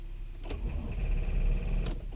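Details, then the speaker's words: Car with a dead battery: on the key only a brief weak whir and click from the starter, no cranking; a jump attempt failed here, later started with a jumper pack. "it's dead damn it's not it doesn't want to crank yeah it doesn't even want to crank it all I just heard the starter just going crazy"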